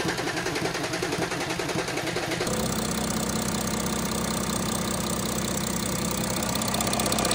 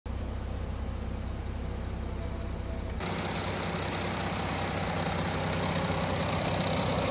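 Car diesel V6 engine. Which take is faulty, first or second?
second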